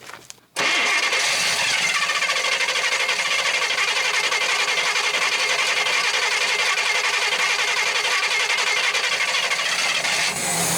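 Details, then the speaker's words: Abandoned 1966 Chevy Biscayne with numbers-matching 396 big block, just started with some choke, on a hot 100-degree day: rough, loping idle with a missing beat; one cylinder suspected dead, not confirmed. "it's easier to listen to out here and you can't hear all the noise from the carburetor i still hear that dead cylinder"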